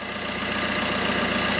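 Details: Fiat Panda 1.3 Multijet diesel idling right after thermostat replacement and coolant refill, before warming up; steady idle with an even, regular clatter, no misses or knocks, engine running fine.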